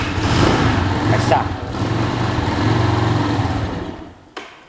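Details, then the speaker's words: Italika motorcycle on 100% ethanol for the first time, carburetor not yet adjusted for more air: the engine runs rough and uneven for about four seconds, then dies. It stalls after starting; the owner suspects the engine is cold. "Se oye diferente el motor. Creo que está fría, por eso se apaga."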